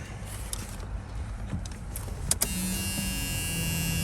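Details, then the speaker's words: On a 1976 Camaro, a click is followed by a faint, steady, high electric whine from the rear at start-up. This is the electronic fuel pump priming normally. "hear the electronic fuel pump there in the back"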